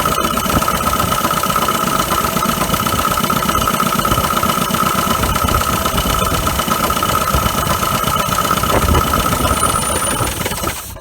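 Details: 1980 Dodge Colt Challenger, carbureted, sat 15–20 years, mechanical fuel pump fed from a gas can not filling the float bowl: rough, uneven lope with whistle, dies after about ten seconds; fuel starvation suspected.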